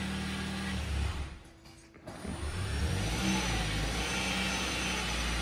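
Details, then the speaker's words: 2013-2020 Ford Fusion Hybrid HF35 transmission after a full rebuild with new stator-side and drive-side bearings and a Mercon LV fill. The engine runs at a steady drone with no whine; the earlier bearing squeal is gone. "no more sound so good to go rebuilt the whole transmission"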